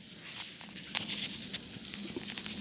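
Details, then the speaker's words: Wilesco toy steam roller steamed up from a cold boiler as water starts to boil: soft hiss with a faint crackle of boiling underneath. The safety valve is beginning to leak steam. "there's a leak coming from the safety valve"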